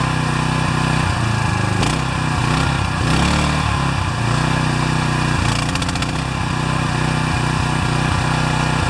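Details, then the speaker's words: Pressure washer with automatic choke that would not start since last fall; after an oil change, a new air filter and clearing a clogged bolt, it sputters and coughs with an uneven surging beat because the choke was left on, running rich. "You saw that video out on the grass where it was just sputtering and coughing and really not happy. This choke lever takes the choke off."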